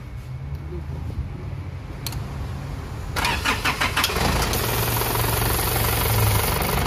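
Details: 2003 Isuzu 4JH1 diesel that stalled while driving and would not start, test start after the EDU box was repaired and refitted: quiet, then a brief crank, catches cleanly at about three seconds and settles into a steady, even idle.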